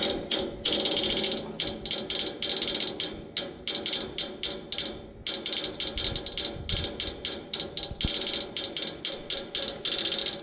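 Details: Outdoor AC condenser unit with fan not running, after motor replacement: rapid, irregular bright clicking bursts from inside the unit, as if trying to crank something; stops once the fan starts.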